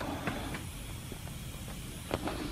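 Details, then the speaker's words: Lokithor JA301 3-in-1 jump starter/inflator (20,000 mAh), disassembled, hose on a valve stem: faint steady hiss of escaping air with handling clicks. Air still leaks, apparently through several cracks in the housing underneath, after the top cracks were repaired. "oh it's still leaking or is it leaking now when I fix one place another place starts leaking if it's underneath I can't fix it guys and it looks like it's underneath now there's just several cracks this thing just falling apart awful"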